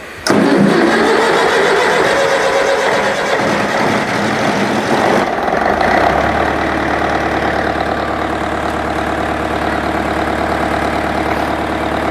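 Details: International 554 diesel tractor, not run for about 5 years, restarted on a weak battery, owner suspects a blocked filter: brief crank, then a steady, even low idle with no knocks or misses; healthy running.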